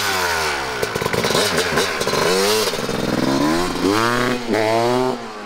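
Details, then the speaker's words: 1998 Kawasaki KX250 two-stroke after repair following poor running since rebuild, ridden out: crisp revs climbing and dropping cleanly, no bogging or misfire; much better; normal revving. "I think he's happy oh that sounded better what do you think we got it it's a nice feeling I've never done that for anyone before I've seen you that happy oh yeah much better"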